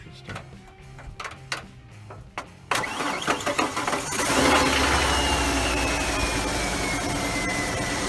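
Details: Car starter with worn brushes, started by bridging the starter solenoid posts in the engine bay while knocking on the starter: a few sharp taps, then it spins, cranks and the engine fires.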